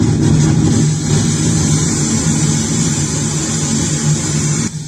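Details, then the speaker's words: Old Infinity FX6000 amplifier with bad power supply, speaker line soldered internally past a broken socket, radio source running: steady heavy low hum under constant hiss, unchanging; loud hum, cause not confirmed. "ये बहुत ज्यादा humming कर रहा है दोस्तों।"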